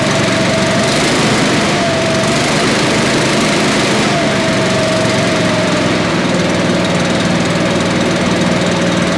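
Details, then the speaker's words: Billy Goat leaf blower with a Briggs & Stratton 9.5 hp engine, salvaged after sitting outside, low compression and sooty plug, run with some choke: loud, steady, even roar with no misses, surging or knocking; runs well. "think that's pretty awesome. It ran really good."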